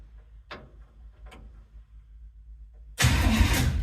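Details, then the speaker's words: 1951 GMC 100 truck during rewiring with a 120 amp alternator, ground reconnected, cranked with the key: a few faint clicks (a relay picking up, cause unknown), then the starter turns the engine over strongly and steadily; normal starter cranking. "so I got my ground on everything's taped again and I'm going to try and crank it over"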